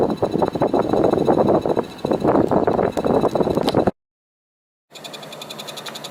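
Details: Daikin air conditioner indoor unit while heating: fast irregular ticking with thin high chirps and squeaks (chiri-chiri, kyuru-kyuru) coming and going, cricket-like; abnormal noise, cause unknown.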